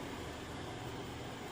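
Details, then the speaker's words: 6000 BTU window air conditioner in a mini camper running from an Olteanp 2500W pure sine inverter on a 314Ah LiFePO4 battery, with no shore power connected: a steady, even rush of fan and compressor noise with no rattles, clicks or surging. It is running normally. "As you can hear, the air conditioner back there is working off the inverter."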